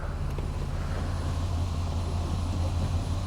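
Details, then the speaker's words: 2005 Mazda Tribute (Ford Escape), 174,000 miles, after torque converter replacement (previously died or thumped in gear): shifted into reverse and rolling with a little gas, steady low drone, no thump, shudder or stall; normal engagement. "and we're rolling. Oh, we're rolling. If I give it a little gas, it'll go."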